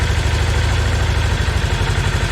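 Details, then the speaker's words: Segway Villain UTV in about 10°F cold, primary clutch just reinstalled after replacing a leaking engine seal: steady low idle with light rhythmic CVT clutch clatter, normal noise these clutches always make, not a concern. "Clutches have always been kind of noisy, so I'm not going to worry about the little bit of clanking going on there, because they always make that noise."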